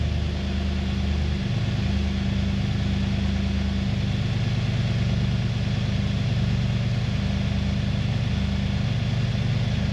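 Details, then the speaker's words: Nissan Y62 Patrol Series 5 V8 idling just after a Manta cat-back exhaust install: deep, steady burble with a low throaty exhaust note and even firing, no knocks or misses; healthy idle. "no dust, no water, doing its job, and it sounds amazing."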